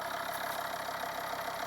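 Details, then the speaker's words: Volvo V50 D5 diesel with 142,000 miles, cold idle just after EGR valve and pipework cleaning: even, steady clatter with no misses or knocks, sounding nice. A hiss from low down is suspected to be a tensioner or pulley; it usually gets noisier after a short drive. "Sounds really nice and cold. So let's give it a drive and see how it sounds then, because it usually gets noisier after a short drive."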